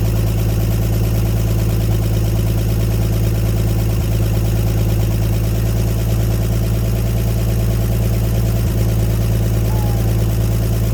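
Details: 1954 Chevrolet 150 revived after sitting, running with the coil jumped and on jumper cables: a low, even idle holding a constant beat with no misses or stumbles. Smooth idle.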